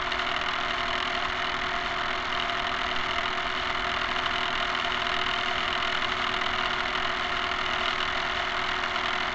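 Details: Camera barge first test run, mobile platform with two-axis gimbal: constant whirring with steady motor hum and fast rough clatter, about three to four per second; excess noise from dog-bone motor-shaft couplers, to be replaced with flexible hose couplers.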